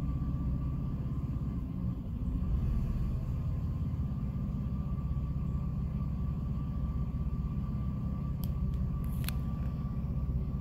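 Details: 2006 Jeep Liberty at idle with A/C off, low rumble with an uneven pulse and a brief sag near two seconds, nearly stalling; it randomly stumbles, cause unknown.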